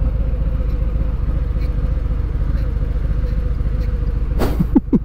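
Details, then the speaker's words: 2019 Harley-Davidson Fat Boy 114 with stock exhaust on a test ride: steady low V-twin rumble, then short chirping squeaks as the clutch lever is pulled in; clutch squeak. "the clutch does have a noise to it when I pull it in it's like a squeak"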